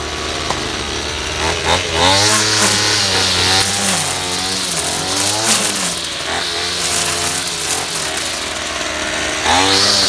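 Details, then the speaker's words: 25cc two-stroke string trimmer that stalled after five minutes, fixed by tucking the fuel line (no filter) down to the tank bottom: revs up and down cleanly without bogging; running normally. "yeah it works a lot better when you make sure that you have the the line in the gas uh whether it be a filter on it or not as long as it's you know resting on the bottom of the tank"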